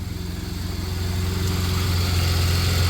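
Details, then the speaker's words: 1993 Dodge Caravan, after a blown head gasket was fixed and the engine survived water getting in: steady, even idle with a smooth low pulse and no knocks, ticks or misses. Engine sounds good. "Yeah, that motor sounds good. I cannot believe that motor survived that that amount of water."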